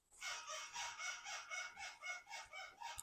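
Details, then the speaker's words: 2002 Acura TL-S: a sharp, high rubbery squeak repeats about three to four times a second as the front suspension moves over bumps. Suspected cause is a ball joint lacking lubrication; silicone spray was used as the fix. "hello everybody does your car's suspension squeak like this one going over bumps"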